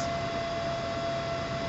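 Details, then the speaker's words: CNC cooling fan on an autonomous temperature-based fan controller, slowing as the temperature drops, at about a third of its maximum rpm: a soft, even rush of air with a thin constant tone and no rattle; normal. "running only about a third of its capable rpm right there they'll keep running"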